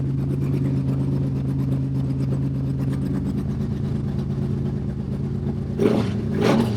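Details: Stroked 400 Mopar big block in a Dodge, first start with no exhaust fitted yet, temperature holding 180–200 with the fan cycling and oil pressure good. Loud, lumpy V8 idle through open pipes, then two quick throttle blips that rise and fall cleanly: healthy.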